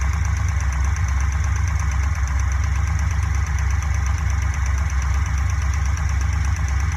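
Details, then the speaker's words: Fuel-injected Corvette V8 idling, modified cut valve cover fitted: deep steady rumble with a quick tick about three a second; number three exhaust rocker suspected, before adjustment. "the ticking seems to come from over here number three exhauster intake i think the exhaust one is the problem"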